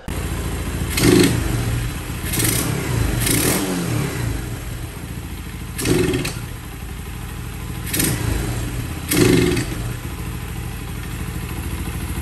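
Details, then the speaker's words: 2020 Boom Vader 125cc Honda Grom clone, 40 miles, Mikuni VM22 replica carb; uneven idle, each sudden throttle snap gives flat stumbling rise, sometimes stalls while riding; jets and carb cleaning tried, cause unconfirmed: engine bog on sudden throttle. "especially when you give it throttle suddenly like this it bogs quite dramatically and sometimes when you are riding out there it stalls so it has done it to me a couple of times"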